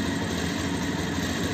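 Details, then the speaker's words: Bajaj Pulsar 220F with missing and jerking at low rpm, before repair: idle with slightly uneven beat wavering in strength, rpm going slow then fast and sometimes cutting out; idle hunting from a dirt-blocked pilot jet. "तो कुछ slow हो रहा है fast हो रहा है और थोड़ा सा एक्स्ट्रा तो बैंड हो जाति है"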